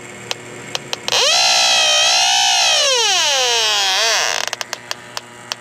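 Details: Electronic leak detector on R-410A AC system pressurized with nitrogen to 172: slow ticking jumps to loud warbling shriek for about three seconds at a joint, then back to ticking; slow refrigerant leak found, bubbles confirm.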